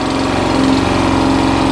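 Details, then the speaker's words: Qualcast 35S cylinder mower, small single-cylinder engine before service, throttle not working properly: with choke off it hunts, surging slightly; on half choke it runs fast and fairly even. Fuel supply problem, running lean. "if you take the choke off then you get you start to get this hunting noise so there's the hunting put it back on a half choke"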